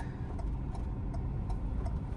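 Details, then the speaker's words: Ford EcoSport during a beginner driving lesson, right indicator on: crisp, even ticks about every 0.37 seconds over a low idle rumble; the turn signal is flashing normally. "चलो right का signal दो। सीधा चलना? हाँ अभी चलो सीधा।"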